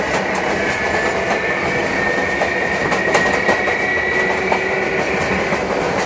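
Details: MTA R142A car 7686 on a Manhattan-bound 4 train, 183rd Street next: steady high howl near two kilohertz over wheel clatter, creeping up slightly in pitch; howling traction motor, later fixed.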